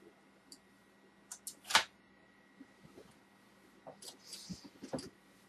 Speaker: It's still getting caught on that. Yeah, that's what's happening. Definitely, it's getting caught on that tab piece.